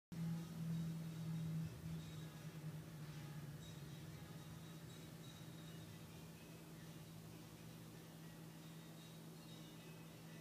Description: Strange whining noise from passenger side near the engine block when hood was opened. Key was not in ignition.